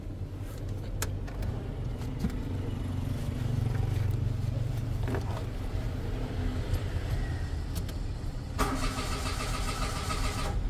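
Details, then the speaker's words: Mitsubishi Mirage G4, odometer about 147,506: starter cranks strongly but engine never fires; fuel pump receives electrical supply but delivers no fuel, so the pump is failing. "Wala ibig sabihin mga guys may supply naman ito ng kuryente ibig sabihin yung fuel pump pabigay na"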